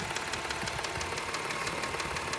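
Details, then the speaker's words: 2003 Subaru Outback Limited, AWD, 318,400 miles, check engine light on: quick light even ticking about six per second over steady idle, heard sitting by the key; valvetrain-type clicking, cause unknown. "that's what it is um let me turn it on and you can hear the clicking noise sit by the key"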